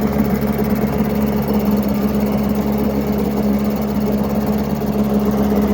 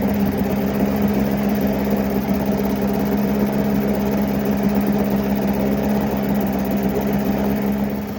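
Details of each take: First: 7.5 HP Mercury long-shaft two-stroke outboard from the 1980s, first start after 25-30 years sitting, primed, on water: steady buzzy fast-idle note, even with no knocks or misses; runs cleanly, though it likely needs a new impeller. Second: Likely 1980s Mercury 7.5 hp long-shaft two-stroke outboard, first run in 20–30 years: buzzy idle with an uneven, stumbling beat, missing at idle. The water telltale is flowing, but an impeller replacement is planned.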